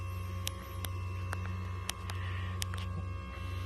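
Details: 1999 Ford F-350 crew cab diesel, ZF6, about 299,000 miles, engine off: steady low electric hum with faint whine as the fuel system lift pump primes before start; normal.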